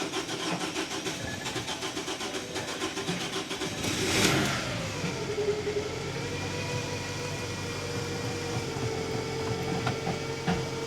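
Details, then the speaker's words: 2011 Scion xB, 2AZ-FE four-cylinder: a used engine swapped in because the old one passed excessive oil past the rings. On the first start after the swap it gives a short crank, a crisp catch and a steady idle. A high-pitched noise afterwards came from a heat shield missing a bolt. "all right she's running"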